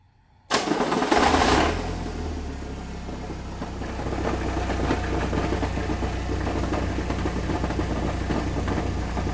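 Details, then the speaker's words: 1998 Chevy S10 2.2L four-cylinder with a new clutch, at idle: dull knock about four per second deep in the engine; started during hard first-gear acceleration; no change with clutch, worse under load; owner suspects crank bearing; oil pressure 20 psi idle, 40 revved. "is this trans or is this motor I'm leaning towards motor like it's a crank bearing but it's got 20 psi oil pressure at idle about 40 when you rev it"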